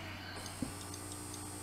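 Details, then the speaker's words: Siemens EQ6 S100 espresso machine that won't froth milk, after an owner repair replacing the ceramic valve and pump membrane: at power-up a single crisp valve click sounds over a steady low hum; the valve operates normally. "valve works fine, you can hear that"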